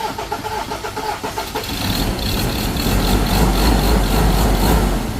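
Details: Ford 2.0 bi-turbo diesel, 150,000 km, after injector repair (third attempt) and fuel bleeding: cranks a few times and catches, then settles into an even clattery idle without stumbling; normal start and idle.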